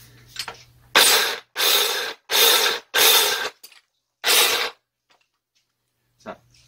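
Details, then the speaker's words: Electric demolition breaker hammer (HM0810T/KH-50H type) that failed after about 3 hours of hard use: five short bursts of harsh rattling metal grinding when triggered; bearing, motor or gear damage suspected. "An cluinn thu fuaim bleith meatailt? Dè a tha a ’dèanamh fuaim bleith meatailt?"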